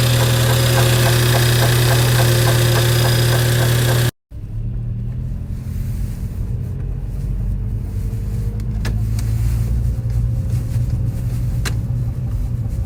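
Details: VW Golf 5 GTI 2.0 TFSI BWA idling: steady even knock about four beats a second over the running note; owner suspects timing belt or water pump, not confirmed; knocking noise at idle.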